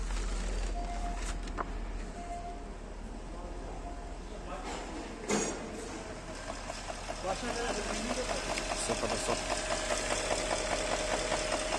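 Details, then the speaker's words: 2010 Porsche: steady light ticking, about two to three per second, over the idle from inside the engine; engine must be dismantled, suspected problem in this area. "تك تك تك تك تك. هذا صوت. لازم نفك الماكينة هذا كله."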